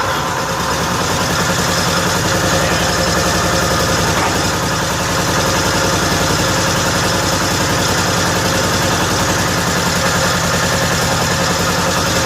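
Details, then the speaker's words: 1955 Cushman Truckster single-cylinder with aftermarket exhaust, started after pressurizing fuel tank with a little compressed air to push fuel past air: even, steady, smooth, quiet idle, no misses or knocks. Normal idle. "Sounds as good on camera as it does in real life, but what a smooth running, quiet little engine this thing really is."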